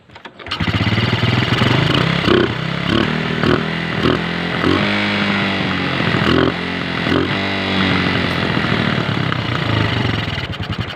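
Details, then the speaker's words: 125 motorcycle runs rough and uneven, stumbling under revs and stalling; fixed by replacing the carburetor. "Namamatay siya mga boss. Ayan. Ayan. papalitan natin siya ng bagong karburador."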